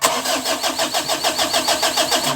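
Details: Mitsubishi L300, hard starting: steady starter-motor chug at about six beats per second with no catch, engine turning over without firing. Cause not confirmed.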